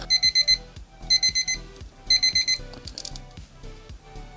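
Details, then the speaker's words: 1999 Thunderbirds alarm clock after repair, broken contact bridged with a solder blob and battery refitted: shrill high beeps in quick groups of four, about once a second; the alarm now sounds normally. "Now when we put the battery back in, it should obviously start beeping again."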